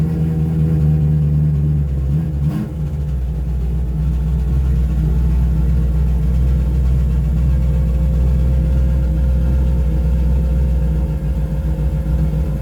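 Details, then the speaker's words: Engine with carburetor conversion kit after fitting vent tube extensions to the bowls, improving throttle response: catches and settles into a steady, even low rumble at idle with no misses or knocks; sounds healthy. "that's beaut I love it I really love it"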